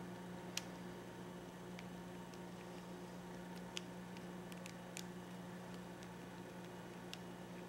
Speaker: I don't know if you guys can hear that but it's clicking that's how you know those buttons are going to work when the time comes